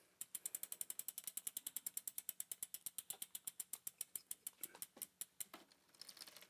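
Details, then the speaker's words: Bicycle with rear derailleur, B tension screw being adjusted: quiet, crisp, evenly spaced freehub ticks as rear wheel coasts and slows, drivetrain extremely quiet and shifting well; normal freehub freewheeling. "Man, I wish my wheels spun like that on So this freaking is Esmeralda. extremely quiet and it's shifting extremely well despite what I do with the B tension screw."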